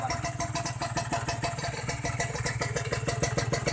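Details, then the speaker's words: Kawasaki Ninja 150 R two-stroke after carburettor air-screw adjustment (turned two turns back), started with one kick without throttle: crisp, even popping at a steady quick idle with no stumbles or bogging; idling cleanly. "Menurut kalian berebut nih guys? Kalau menurut saya nggak berebut ya teman-teman. Kita dengerin aja nih. Enak teman-teman, suaranya enak guys."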